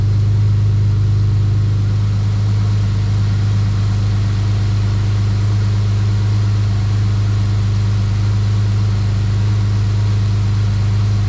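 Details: EL Ford Falcon XR6 Turbo idling after repair, restarted a second time; steady, even low idle with a firm deep hum, no misses, knocks or surging; normal idle.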